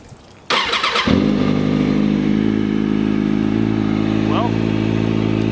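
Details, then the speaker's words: Motorcycle after adjusting automatic cam chain tensioner to cure ticking: catches after short crank, steady even idle with no ticking or cam chain rattle; fix worked, normal idle. "looks like it worked I'm not getting any chain rattle from inside of the engine which is a very good thing"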